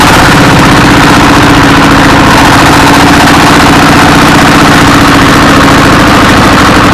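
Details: Single-cylinder 24 hp S1115 diesel, after the injector assembly and injection pump element were replaced to cure black smoke and hunting revs: a steady, even beat with no misses or hunting, so it is running normally.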